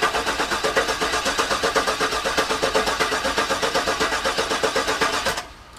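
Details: Garage-rebuilt GM LS engine, cranked repeatedly to try to prime the oil pump, which was forgotten before installation: steady cranking with no firing, then it stops. Still no oil pressure; oil pump not primed.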